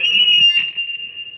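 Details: Salvaged, repaired VOX amplifier tested with a microphone while trying different effects settings: a sudden, piercing, steady single-pitch whistle fading over about a second, typical mic-to-amp feedback howl; cause suspected, not confirmed.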